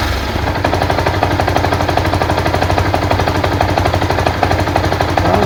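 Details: Yamaha SZ-R idling with a fast, uneven clatter of about three knocks a second from the clutch/right-hand cover side, after prior engine and clutch work; engine knocking noise, exact cause not pinned down.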